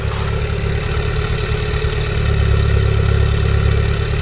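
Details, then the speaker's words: Classic car, original carburettor, timing and points done, heard at the rear: deep, steady exhaust note at idle with even beat, no misses, knocks or hunting; clean idle. "so there we are at the back now listen to this it does sound a nice note"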